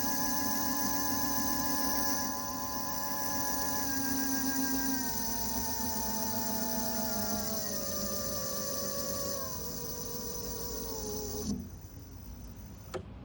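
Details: Segway ZT3 Pro D electric scooter: high stacked motor whine sliding down in pitch as the wheel slows, then cutting out; whether this is normal is unclear.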